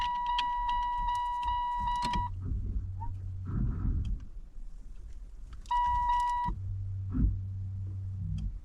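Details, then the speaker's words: Saturn, no keys, broken into, vandalised and left sitting; the car has lights but no starter action. Rapid shrill electronic beeping in repeating bursts comes from the security alarm beeper before the security system is bypassed. "Something out there is making noise. Quiet. Where's the beeper? We gotta get rid of that. First task, get rid of the beeper."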